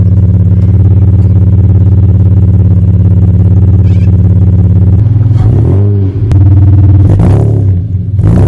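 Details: 1975 Toyota Crown MS85 with swapped 2JZ-GE, first start after fuel system work, fuel pressure 42 psi; smooth, even idle then clean blips up and down with no knock or miss, good oil pressure, no overheating, runs well.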